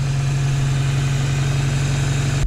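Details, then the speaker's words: Ford Ranger 2.3L with a 2.5L cylinder head fitted, warm: steady low drone with no hunting, idling noticeably fast; high idle, idle screw suspected to have been adjusted up, about to be turned down. "So the idling screw we think's been messed with this, so we're just gonna turn it down. See if that helps it."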